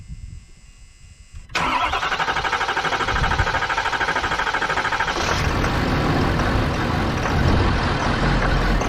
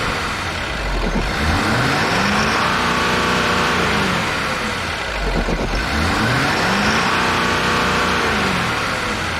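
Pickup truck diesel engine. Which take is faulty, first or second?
first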